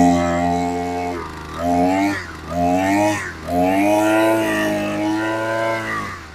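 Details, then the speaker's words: Ogawa BG430DT brush cutter after service (new spark plug, carburetor cleaned, then failed carburetor replaced with a new one): small two-stroke buzzing and climbing through several throttle blips, catching and holding revs cleanly; normal running. "Kita dah tukar semua. Sekarang dah boleh dah."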